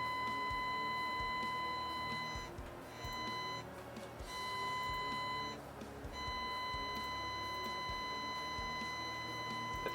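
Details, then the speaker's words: Behringer GMA106 guitar amp fed a 1 kHz test tone, knobs at 5, overdrive on: faint steady buzzy tone dropping out, weak and distorted output; signal not passing second stage of L885D input op amp, op amp to be replaced. "But the overdrive is also distorting the 1 kilohertz tone. So, we need to tear it apart and see what's going on."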